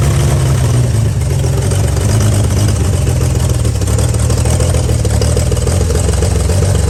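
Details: 1955 Chevy truck inline-six that sat about 30 years with a locked-up engine, now freed: a strong, even rumble holding steady without stumbles or misfires. The old engine sounds healthy and runs pretty good.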